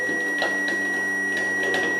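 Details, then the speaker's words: Fuel pump on a Range Rover project running with its supply wires swapped (reversed polarity), tested with a power probe: thin steady high whine with uneven ticking, pumping but not building pressure or cutting off; no fuel until wires reversed. "Well, it's pumping. But it's not getting It's not cutting off. It's not not building up to pressure. I've never got the wires on the right way around."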